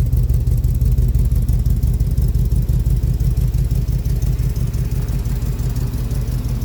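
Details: 1965 Buick Riviera, first start in 15 years after new battery, cable and starter solenoid/wiring repair: deep exhaust pulses at an even beat with no knocks, misses or stumbles; engine healthy and steady.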